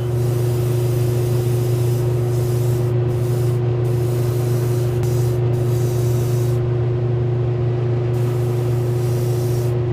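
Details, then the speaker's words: Airbrush spraying skin-tone paint after thinner was added: steady compressor drone under an even, unbroken hiss, no sputtering or splattering; spraying smoothly. "add a little bit of thinner to this thin it out a little bit I can go ahead and mix it right in the airbrush and then it's gotten little easier to spray it's not I'm not hearing that noise where it's sputtering and splattering here that's spring a little lot more smoother now"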